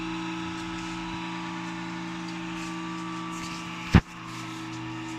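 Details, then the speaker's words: Desktop CPU running: SMPS (power supply) fan makes a steady droning hum with a constant rough whir over it; fan noise problem, fan choked with dust. "ये देखिए friends, ये CPU चालू है और ये इस type का फ़ैन ये नॉइज़ कर रहा है।"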